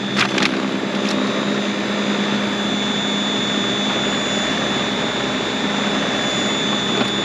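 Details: Greenworks 80V battery-powered snowblower, new, freshly charged, first start: smooth, steady high whirr with even tone and no knocks or grinding; electric motor running normally.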